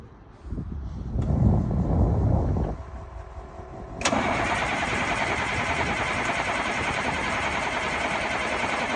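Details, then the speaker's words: 1989 International S1900 DT466 diesel truck after a water pump replacement, oil cold and thick (about 20°), windy: starter cranks a few seconds to build oil pressure, then fires and settles into a steady, even idle; a normal cold start. "so we're going to crank it over, let it get some oil pressure, and then we're going to fire it up."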